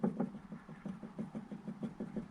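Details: VW Golf 4 front, car on axle stands, anti-roll bar levered with a pry bar: faint dull knocks, several a second; worn anti-roll bar bushes causing the front thudding noise.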